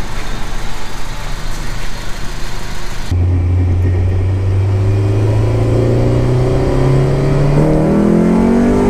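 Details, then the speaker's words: Honda wagon just after a B16 transmission swap with an ASPORT actuator, driving: after wind rush, a smooth steady drone climbs slowly with road speed, with no exhaust ticking or whine; quiet, healthy cruise. "just listen to it i don't even have to yell super duper quiet loving it"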